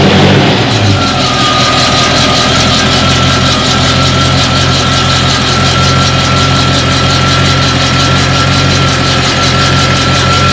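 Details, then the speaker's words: 1991 Chevy K5 Blazer 350 V8 with 700R4 automatic at idle after tightening loose torque converter bolts: steady smooth rumble, no knocking or rattling; earlier odd knocking at idle, not rod noise, is gone. "okay noise was gone"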